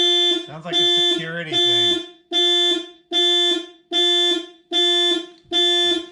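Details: 2000 VW GTI Mk4 project, 237,000 miles, first key turn after finishing the work: a loud two-tone siren repeats about once a second with short gaps; anti-theft alarm tripped, which the seller said unlocking the trunk with the key can clear.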